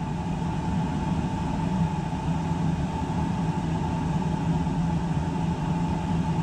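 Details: Whole-house fuel oil furnace that would not fire, after filter changes, now running: constant low roar with a faint steady tone and no pulsing or sputtering, burner firing cleanly, pressure rising to 30 and pipes warming.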